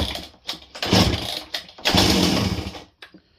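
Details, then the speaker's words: Old Husqvarna 268 chainsaw at first start attempt making rattly, harsh bursts with each starter pull; very loose chain suspected as much of the racket, cause unconfirmed. "Honestly, she's making some pretty funky noises while we're cranking on it, but we'll see."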